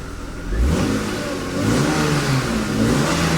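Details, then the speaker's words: 1997 BMW 328i E36, 154,000 miles, long-sitting, check engine light on (owner suspects it ran hot), supposed blown head gasket doubted. Revs rise and fall cleanly with no misses, knocks or rattles; sounds healthy and sporty. "sounds real sporty"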